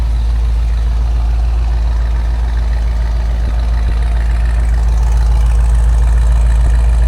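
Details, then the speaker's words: 1973 Ford Bronco with a roller 302 5.0 V8 from a Fox-body, warming up until the thermostat opens: deep, even idle rumble with a steady beat and no misses or knocks; runs really good; normal idle. "It runs really good. Ali's been really happy with it."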